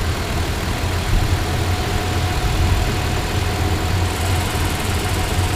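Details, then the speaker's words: 2016 Toyota Tacoma TRD Off-Road 4x4, 1,681 miles, clutch fan, warm idle: faint chirp over steady engine note when rpm drops to about 500; source at engine unknown, owner guesses a pulley. "see what happens when it comes down to about 500 yeah that's where the noise is at so lower RPMs you get a chirp sound"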